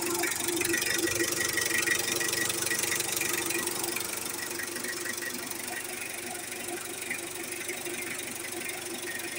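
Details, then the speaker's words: 2017 Mitsubishi Adventure diesel after DIY timing belt replacement and valve clearance adjustment (long method, firing order): even, steady idle with a regular light clatter about two beats a second, no stray knocks; engine runs quieter again, normal idle. "Nakatipid ako sa labor at mas tahimik na ulit ang andar ng makina."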